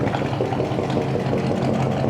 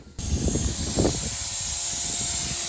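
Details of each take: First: 1965 Chevy pickup V8, revived from parts: warm, even, steady low rumble at idle with no misses or stumbles, noise quieting as it runs; runs really well. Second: 1965 Chevy pickup built from parts, running: loud steady hiss of steam under the hood, first suspected between them and the firewall, found at the thermostat housing; coolant steam leak.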